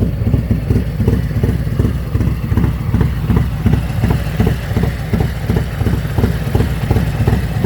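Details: Harley M8 V-twin with an S&S 475c cam at idle: loping even low thumps with no valvetrain ticking, quieter than stock; normal idle.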